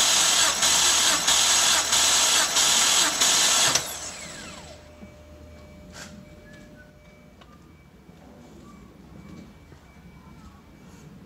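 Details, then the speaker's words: BMW 325i E90 N52 engine that burns oil, cold compression test on cylinder 1 with no oil added and fuel pump off. About four seconds of even starter cranking with steady, regular compression pulses. Reading about 160, healthy. "go that's a much better number 1 50 160-ish 160."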